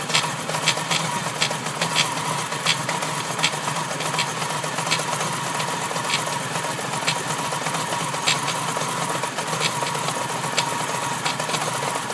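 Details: RS2 with new timing kit and water pump, new plugs and ignition leads, lightened pulley, new engine mounts, Group N calibration; light, regular ticking over running engine, appeared twice after barely 200 km, under 6500 rpm. Abnormal engine ticking noise.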